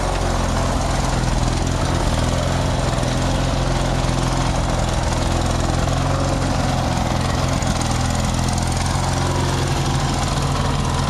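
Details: Craftsman DYT4000 lawn tractor, just fully fixed up, idles after a cold start with a steady, even single-cylinder beat; it runs smoothly and sounds healthy.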